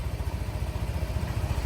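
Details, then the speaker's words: Yamaha NMAX 155 scooter after major engine overhaul (new block parts, roller housing, gaskets and O-rings) following damage from late oil changes: steady even low putter at idle, regular firing beat, no knocks or rattles; engine normal, like new. "Nah untuk suara mesin aman ya sudah normal kembali Ya normal seperti baru lagi ya"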